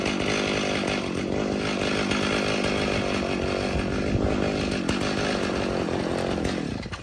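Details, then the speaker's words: Stihl MS 290 chainsaw started cold on full choke, then warmed at low idle, before the carburetor rebuild. The two-stroke revs hold unevenly with a ragged, wavering note, then sag and die. It bogs, has poor throttle response and stalls when warm unless held on the throttle. "it wasn't running all that great like bogs down it doesn't have good trigger response and a lot of times especially when the chainsaw would get warmed up it would conk out on me if I didn't constantly stay on the throttle"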